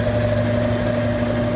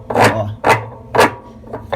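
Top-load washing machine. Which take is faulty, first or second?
second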